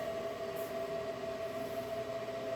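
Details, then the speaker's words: DIY 2560 Wh solar generator inverter powering an air fryer at 390 degrees, drawing about 1400 watts: even mid-pitched cooling-fan hum with a fainter higher whine, steady and unchanging, not too noisy; the inverter cooling fans run normally under load. "fans turn on and it's giving me 1400 watts. I'm sorry, yeah, 1400 watts of power is coming out of this to get this air fryer going. It's not too noisy."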